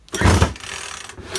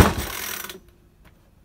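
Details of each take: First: Makita top-handle climbing chainsaw after ignition coil replacement: two pull-cord rasps turn it over but it never catches or pops; no spark even with a known-good plug; cranks but won't fire. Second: Makita top-handle climbing chainsaw, two-stroke petrol, first start after replacing broken-down primary ignition coil: a pull, short gap, then it catches and settles into a steady even buzz; now runs properly.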